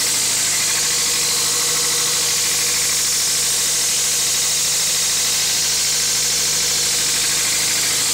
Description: 2000 mr2 spyder rattling noise, help me diagnose please